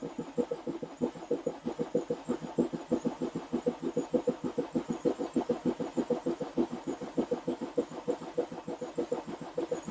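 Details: BMW F11 520d diesel started after cam cover gasket replacement, injector seat cutting and fuel system bleeding: catches straight away into an even, steady idle clatter with no knocks or misses. Normal idle.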